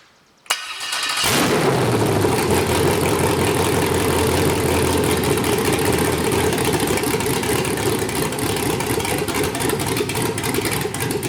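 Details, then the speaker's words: 5.3L LS truck engine on MegaSquirt 2 with stepper IAC, catches, flares briefly, then settles to a steady even idle with no hunting; idle control working after tuning, hold current setting suspected for earlier inconsistency. "so awesome working perfect"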